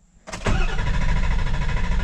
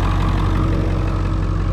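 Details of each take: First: Ford 7.3 Powerstroke diesel with hot no-start, after IPR valve replacement: steady cranking about 200 strokes a minute for eight seconds without catching; cam sensor suspected faulty, to be retested warm. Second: Ford 7.3 Powerstroke diesel with a hot no-start problem, running after an injection pressure regulator valve replacement and a cam sensor check. Deep, even diesel rumble with a steady rhythm and no misses or knocks; it idles cleanly.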